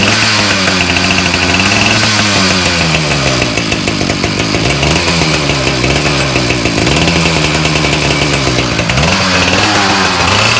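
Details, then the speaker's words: Ryobi 705r 31cc two-stroke trimmer that broke after 10–15 minutes with a brush cutter fitted. It buzzes and revs with a loose, marble-like rattle while the line head won't spin. "okay listen closely hopefully we're able to hear that kind of rattle kind of like marbles"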